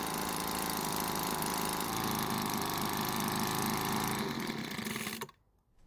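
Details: Cheap small two-stroke leaf blower that wouldn't start, at full speed during H-screw carburetor adjustment: high buzzy scream held steady, then cut off abruptly; running strong and clean.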